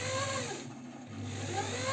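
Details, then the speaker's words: Janome 509 sewing machine, about 15 years old, after oiling the mechanism where dust-coked grease squeaked: even motor hum, steady mechanical rhythm, no squeak; normal running. "вот что так хорошо смазал этот механизм и вот никакого скрипа нету"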